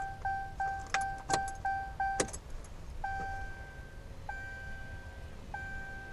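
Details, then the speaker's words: 2014 Ram Mega Cab 6.7 Cummins diesel after CAT 1R-0750 fuel filter and BMP housing install: key clicks and chimes, then steady electric hum for several seconds and stops, primed again — normal lift pump priming. "So anyways, let's go prime it and fire it up and see what happens. Can hear it priming. Stops, let's prime it again."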